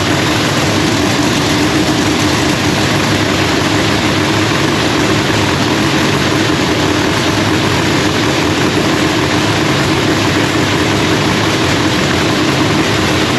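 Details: Procharger-supercharged Lexus race engine, freshly rebuilt with new parts, running a quick heat cycle. Loud, steady, even roar held throughout with no knocks, misses or rattles; running healthy.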